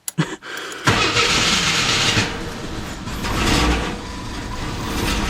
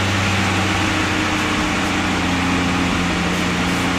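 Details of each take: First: AMC Eagle 258 after TFI ignition upgrade and coil wiring, test fire: short crank, stumbles unevenly then settles into fast, surging high idle, seems to miss. Owner suspects choke installed backwards, possibly a vacuum leak; unconfirmed. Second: AMC Eagle 258 inline-six after a TFI ignition upgrade with the computer bypassed: a steady, even idle with a constant low hum and no stumble, all cylinders firing, described as a high idle.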